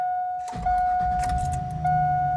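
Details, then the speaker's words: Chevrolet Suburban after a roadside swap of a failed cheap aftermarket fuel pump; key on, pump hum heard, then the engine cranks, catches quickly and settles into an even run, a clean start. "We have ignition. Excellent."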